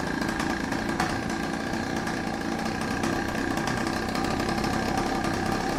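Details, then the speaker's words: Chinese pocket/mini bike two-stroke, Dellorto SHA 15mm carb, first run on old oil-rich fuel mix: crisp steady buzz, revs rising and dropping cleanly, no knocks or rattles; sounds healthy, though a small exhaust leak is noted. "But she sounds absolutely amazing. It sounds like a proper bike right now."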